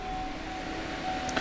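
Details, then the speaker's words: Holden Barina (Cruze) 1.6 petrol with code 89 and spanner warning, under the bonnet: loud steady fan roar with a constant whine that never cycles off; cooling fan running constantly due to electric thermostat fault. "That fan is noisy, it's going on all the time, so I hope you guys can hear me."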